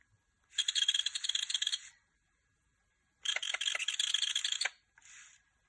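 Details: Sony PSP UMD disc drive: two long bursts of harsh, high-pitched scraping screech, then a brief third, as the drive spins up.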